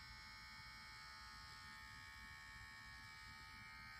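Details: Nintendo Switch: steady high-pitched buzzing whir with a rough grinding edge, no change in speed; sounds like a worn cooling fan bearing, cause suspected, not confirmed.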